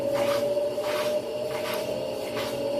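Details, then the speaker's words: Brastemp Clean 10 kg washer that is weak in spin and needed a hand push to get going; as the drum picks up speed a steady high-pitched ringing whine over a slow swish shows a worn bearing. "ó vai pegar velocidade ó e Olha o barulhinho do rolamento aí ó"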